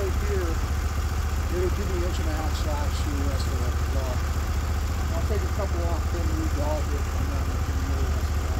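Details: Norwood HD36v2 bandsaw mill, day two testing new roller guides (ceramics replaced), slabbing big black oak through bark, 1.5-inch slabs, about 24 inches wide: deep steady engine drone through a long wide cut, no bogging or surging; effortless flat cut, normal load.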